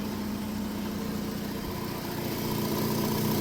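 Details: 1998 Hyundai Tiburon, 51K miles, long neglected and unused: petrol engine idles steadily with an even hum, no obvious knocks; a slight chirp heard, suspected from a worn or misadjusted belt or something rattling.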